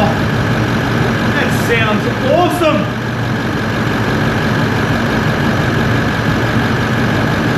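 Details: 80 Series Land Cruiser with 1VD-FTV turbo diesel swapped from a 79 Series, first run after an ECU adjustment, clutch fan apparently engaged; steady, even diesel idle rumble with no knocks or misses, normal idle.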